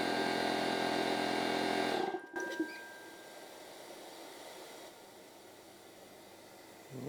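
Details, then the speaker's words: Porter-Cable pancake air compressor after fitting a new gasket and ring: steady motor hum, then a clean stop with the earlier air-leak noise gone. A very slight leak may remain around the piston, but it holds pressure. "think it is working no more noise coming from that area woohoo"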